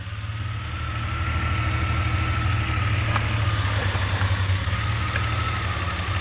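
Deep idle with an unsteady, stumbling pulse and a thin whine over it; rhythm wanders instead of settling, a rough-running engine.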